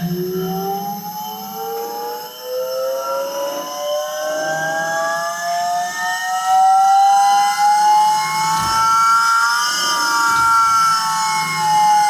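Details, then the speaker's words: Car with a Volvo engine swap, fitted with an eBay electric-driven hydraulic power steering pump replacing the original mechanical pump: high whine like an aeroplane, climbing and wavering as the pump labours; battery too weak to run it full time, owner hopes a bigger battery fixes it rather than the pump. "Sounds like an aeroplane. Alright, I think it does actually work, except that that battery is obviously not man enough to keep that going full time."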